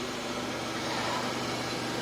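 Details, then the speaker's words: 1997 Pontiac Grand Prix GTP, supercharged 3.8L L67 V6, idling after water pump replacement: even steady idle hum, no knocks, ticks or squeals; sounds much better, running normally. "But yeah, she's all ready to go. God, it sounds so much better."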